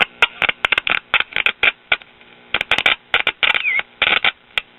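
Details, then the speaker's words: Late-1950s Japanese-built Londala tube radio after new volume control and 50C5 output tube repair; irregular bursts of harsh crackle cutting in and out when pressed; intermittent crackling, loose connection suspected. "we've got a loose connection here somewhere i guess that shouldn't be a surprise these little japanese radios are known to have bad connections in them"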